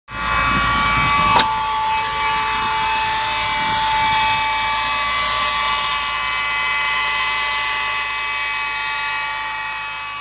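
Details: 2008 Mercedes E300, just bought, whines at start-up: a steady high-pitched whine holds above the running engine; owner suspects alternator or A/C, A/C not working and compressor not running.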